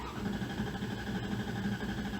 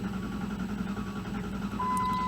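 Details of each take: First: 2001 Dodge Dakota cranking on replacement correct battery, voltage dropping from about 12.2 to 11.1 V: starter spins engine briskly and evenly with steady compression pulses, no dragging; good battery, strong cranking. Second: 2001 Dodge Dakota with a faulty, incorrect undersized battery; the starter turns slowly with a labored, dragging rhythm as the voltage falls from 11.72 V to about 9 V while cranking, so the slow cranking comes from the weak battery.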